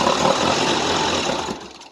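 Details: 1988 Tennant 255 Series II sweeper after fuel line replacement: steady even cranking about a second and a half, never catches, then slows and stops; fuel not reaching the engine suspected, possibly the fuel pump.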